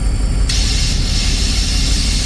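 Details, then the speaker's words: Machine used for milo harvest, engine running, transmission range shifted from low up to high: sharp air hiss bursts out and keeps leaking; shifting back to low range switches immediately; cause unknown, air leak on range shift. "It just leaks. And it leaks right there. But you kick it back into low range, and you probably can't hear it on camera, but it switches immediately."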